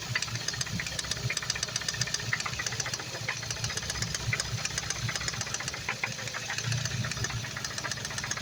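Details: Focus ST engine just rebuilt (new parts, intake, gaskets): sharp irregular ticking about four times a second over steady idle with an occasional deeper knock; owner unsure if injector or cam phaser, not timing chain; suspects split coil/misfire, one bad coil on cylinder three found.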